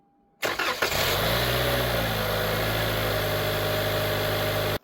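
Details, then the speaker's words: 2018–2024 Toyota Camry 2.5L started right after a new starter was installed. It cranks quickly and catches within a second, then settles to a smooth idle with no grinding or starter whine. Normal start. "Our last thing to do is go in the vehicle and start it up and make sure our starter's working right."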